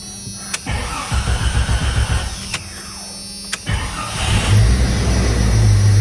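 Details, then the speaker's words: Jeep engine just refilled with oil after seal work and oil pan removal, first start with a new replacement starter: starter cranks in short uneven bursts, then catches into a steady, even rumble; normal start. "All right, starter's in. Let's start this bad boy up."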